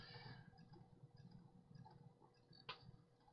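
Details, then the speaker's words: Vintage laptop running Windows 98 with faint irregular ticking over a quiet drive hum and a sharper click: the hard drive's click of death, judged dead. "Ooh, that hard drive doesn't sound so healthy. Eee, that doesn't sound good at all. I can hear it clicking. Guys, I think this hard drive is toast."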